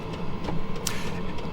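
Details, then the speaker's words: Diesel heater in warm-up mode, before reaching top temperature, set to run at 1.7 Hz once warmed up: steady low hum with faint light ticking; normal warm-up. "the fan is gonna ramp way, way up, and the fuel rate is gonna go way up to get it up to temperature."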